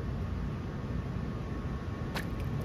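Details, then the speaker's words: Pressure vacuum breaker backflow assembly, ASSE single-hose test: with gauge level with the air inlet, the high bleed is opened slightly from about 7; over a steady low water hiss a short sharp pop as the air inlet opens normally, reading 2.1. "At some point that air inlet pops. You might see it, you might hear it."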